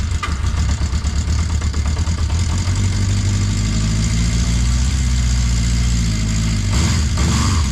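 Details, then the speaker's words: 1980 Honda CB650C with correct OEM exhaust refitted, very cold start after couple months sitting, choke pulled: even four-cylinder burble held slightly high, steady and smooth, no ticks, knocks or misfires; healthy. "yeah sounds good that's awesome listen to that oh yeah keep running good"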